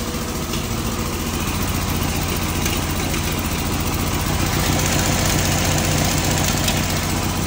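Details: Fiat 126p two-cylinder engine after valve adjustment, idling; uneven idle with fast, fairly regular tapping and knocking, three or four a second; cause unclear.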